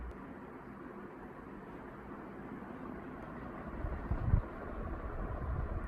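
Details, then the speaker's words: 1981 Evergo 36-inch industrial ceiling fan, model 3E-6, heavy cast-iron motor, aluminium blades, variable speed control, on low: quiet, even air rush with a soft low hum. A slight motor buzz at startup fades once up to speed; no wobble; well balanced, normal running. "even on low you can really tell that this is a industrial intended fan because it's moving a lot of air far more than any residential grade ceiling fan of this size that's for sure but it's also very well balanced"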